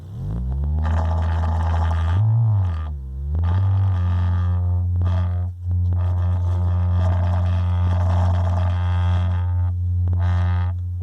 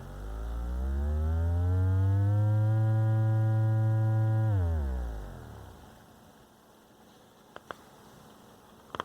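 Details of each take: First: Radio Shack Realistic MC-800 speaker after repair, tested with signal generator near 50 Hz; low tone with buzzy slapping rattle like something smacking the back of the cone, something rattling inside; loose baffle. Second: Radio Shack Realistic MC-800 woofer out of cabinet, driven by amplifier from signal generator around 40 Hz; steady low tone then falls away clean, no scraping or buzzing at high excursion, no voice coil rub.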